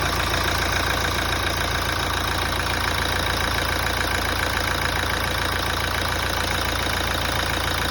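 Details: 2017 Toyota after a major service: constant idle with a light, fairly regular tapping about three or four times a second over the engine hum; abnormal engine noise, cause unclear.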